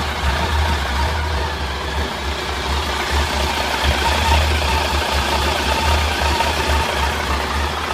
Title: Bruit moteur PAN